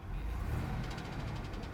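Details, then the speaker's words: Viewer's car that has been knocking for a while and was told it needs a new engine: a deep rumble with a fast, regular heavy knock, about ten a second. Bearing wear is discussed but not confirmed. "kyle kyle kyle it's not looking good not sounding good buddy no i'm not digging that one heavy knocks not good"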